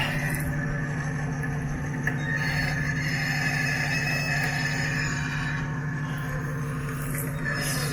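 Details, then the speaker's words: Winch on a 1991 Jeep Wrangler YJ spooling cable while pulling the Jeep's weight: a steady low motor drone with a thin, even gear whine that sounds dry. The owner suspects it needs taking apart and greasing. "Sure as a noisy winch, sounds like it might all be taken apart and greased."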